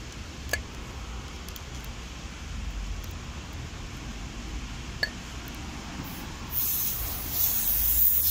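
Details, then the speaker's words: Tyre with slow puncture after rubber-stick repair of two nail holes, Holts Tyreweld can being fitted to the valve; quiet, then sharp steady hiss of escaping air; owner suspects leak at valve connection, unconfirmed. "it on you can hear the air pissing out it's still coming out so maybe it's leaking anyway"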